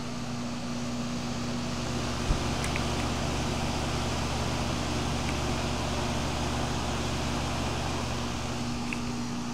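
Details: Goodman heat pump outdoor unit in heat mode on a wet cold afternoon, 41F (windchill 37F), 80–90% humidity, thermostat set to 72: steady low hum with even fan whoosh, no knocks or rattles; running normally in heating.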